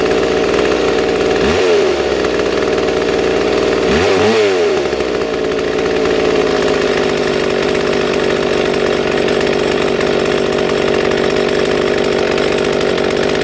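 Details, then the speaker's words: Two-stroke chainsaw with its idle screw being adjusted: a fast, busy idle between quick throttle blips. Idle is set too high, enough to creep the chain, and the screw is turned counterclockwise to slow it. "so as you can see you know there's Shane was going fast and trying to counterclockwise to slow it down"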